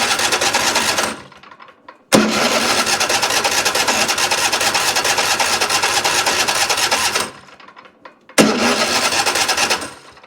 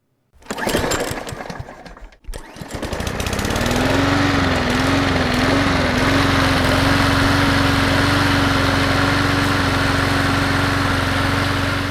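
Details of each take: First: Troy-Bilt riding mower with Kohler 7000 engine: starter churns the engine over in long bursts with quiet gaps, never catching; cranks but won't start despite choke adjusted and plenty of fuel reaching the carburetor. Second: Troy-Bilt riding mower with Kohler 7000 engine, after won't-start/stay-running repair: after handling noise the single engine catches and settles into a steady, even drone at constant speed with no stumbling; normal running.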